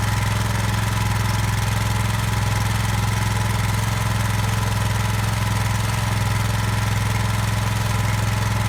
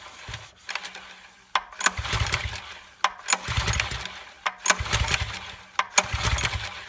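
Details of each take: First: Brand-new Subaru SP-170 5.7 hp single-cylinder engine, unboxed and started for the first time: even, steady putter with a strong low hum and no knocks or misfires; runs clean. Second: New Subaru SP-170 5.7HP small engine, first start, fuel on, choke and a little throttle: five rope pulls, each quick whirring spin with no firing; ignition switch left off.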